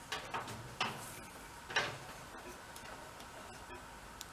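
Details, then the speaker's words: Kohler Command small engine that had failed, on the bench with 12 volts from a jumper pack: a few sharp, light irregular clicks as the carburetor fuel shutoff solenoid snaps in when powered; working normally. "get the jumper pack hooked up and we gotta put uh 12 volts to that to make that solenoid kick in a little click when we draw Power"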